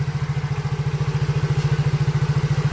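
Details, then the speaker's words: Soul GT (old model) after repairing a wiring fault that had killed the electric starter, turn signals and horn together: engine starts and idles with steady even thumping, about ten pulses a second, no misses or knocks. "lalu kita starter kicauan motornya sudah hidup sudah normal sudah beres"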